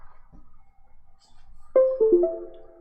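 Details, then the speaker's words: 3D printer control board powered up after a firmware flash: a short rising run of clear chime notes over a quiet room, the normal startup ding showing the board booted. "And then we're going to power the board up. Wait for the ding."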